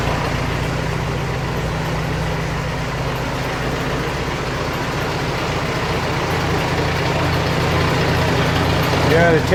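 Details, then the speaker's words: 1947 Farmall A tractor that sputters and dies once hot while its ignition coil gets too hot to touch, running before reaching that condition: steady, even low chugging with no misses or knocks. Normal idle; cause still being diagnosed. "terrible thing is despite its problems, it it sounds beautiful. It runs great until the moment it doesn't."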